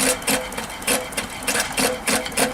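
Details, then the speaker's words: Allchin steam traction engine crosshead feed pump, bypass being closed so it pumps water into boiler: crisp, regular metallic clack about three times a second, getting noisier as ball valves seat; normal pump valve clatter. "So at the moment it's open, as you close it, it'll get progressively noisier as you hear the ball valves working. Now it's pumping all the water into the boiler."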